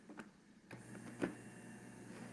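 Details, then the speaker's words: Juicer that was brought in as not working, running after its stuck safety switch was freed by disassembly; cord wiggle test shows no connection issue: a couple of clicks then soft even motor hum, no rattle or grind; works normally. "So, good news for the person that owns this. This machine is still going to work just fine."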